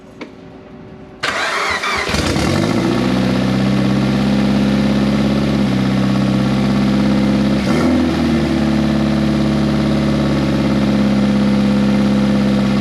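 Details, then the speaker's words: Turbocharged project car first started after almost 10 years, with straight header exhaust and no mass airflow sensor fitted: brief crank, catch and flare, then a loud unmuffled high idle that wavers and sags. Owner suspects the missing MAF or the 1000cc injectors; unconfirmed. "anytime you started it it would start up it would rev up and it would hold idle for a little while like up in the high RPMs"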